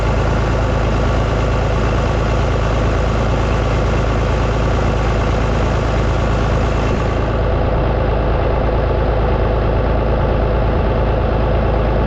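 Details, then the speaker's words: Vintage Oliver tractor engine at warm idle after water pump and hose work, during a combustion-leak block test of the coolant: steady heavy low thrum, no misses, knocks or hunting; runs fine, owner suspects cracked pump housing sucking air. "I got to leave it running so you'll just have to hear them try to listen to me over the sound of an engine a perfectly fine running engine"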